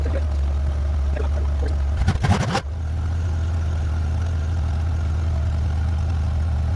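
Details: 1994 Honda GL1500 Goldwing Aspencade, first start in two and a half years after aftermarket fuel pump replacement, choke off: low, even rumble holding steady after a brief throttle blip; idling smoothly and settled.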